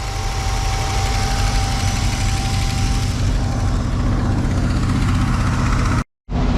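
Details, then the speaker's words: 1979 Chevrolet G10 camper van, rusty, cold-started in deep snow: deep low rumble with uneven, lumpy beat, cold V8 laboring and not settling to a smooth idle; rough idle. "And guess what? It cold started. It's unhappy about it, but it did it."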